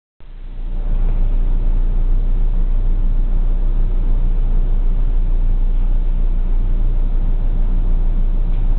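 Deep, even exhaust rumble holding steady with no puffing, ticking or hiss; the exhaust sounds sealed and healthy.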